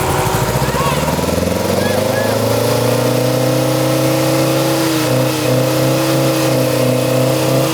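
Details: Morris Minor stored 21 years, after repeated failed cranking with a charger on the new battery: the old engine catches and climbs to a fast, slightly uneven idle, pitch wandering; running rough after long storage, not yet settled.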